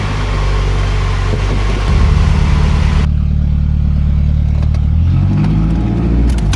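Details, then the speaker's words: 2001 Toyota Camry 2.2L 4-cylinder, about 232,000 miles, after a complete manifold-back exhaust install with new resonator and muffler: starter churns, catches, deep even idle with no rasp or puffing leaks; normal idle. "Here we go. It's gonna sound so beautiful. This thing is just gonna be like, brrr."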